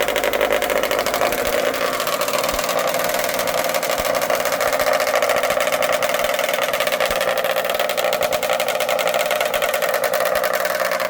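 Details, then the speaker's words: 1979 Ski-Doo 9500 mod sled two-stroke, twin Mikuni carbs with 50 pilot jets, air screws 1.5 turns out: fast, busy idle with blubbery, uneven edge, running rich; 50 pilot too aggressive, moving to 45. "Alright, got to move down to a 45 on the pilot jet. 50 was a little aggressive."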